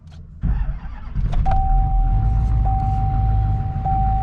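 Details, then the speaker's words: Rebuilt LMM Duramax diesel, 1000 WHP single cab, about 800 break-in miles on the fresh engine, before its second oil change: deep steady cold-start idle, even with no knocks or rattles, faint whistle on top; running well. "cold start but other than that oh she she's running good she sounds good ain't too bad"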